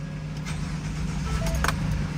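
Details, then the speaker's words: 2013 Ford F-150 with intermittent no-start and PCM communication loss, ignition lock cylinder already replaced: engine starts right up and runs with a steady smooth low hum, no stumbling; normal start, fault not reproduced, later traced to a bad fuse-box fuse connection. "And as you can see, just as I suspected, the vehicle started right up."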